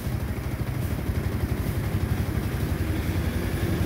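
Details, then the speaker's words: Motorcycle, idle ("minor") after being adjusted lower: even low thump at steady idle, no knocks, rattles or hunting; noise gone, engine sounds healthy. "Oh. Wala nang ingay. Baliktad naman. Tatakbo pala yan."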